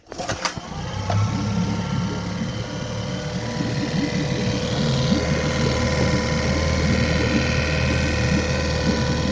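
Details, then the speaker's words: 2007 Mercury (Tohatsu) 8hp four-stroke outboard with a new aftermarket carburetor: idles fast and high after starting, stumbling and dipping, from a vacuum leak at the throttle shaft that tends to kill the engine. "So as you see, it kills it, and that's what happens when you have a vacuum leak in your throttle shaft."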